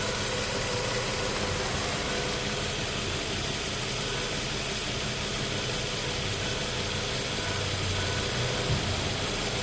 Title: 2005 4.0 litter Nissan Xterra making weird howling noises from engine bay.